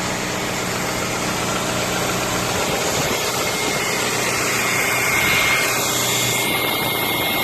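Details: Audi A3 8P facelift 1.6 petrol BSE engine at idle: steady, even, firm note with no stumbles, skips or misfires; running smooth and healthy.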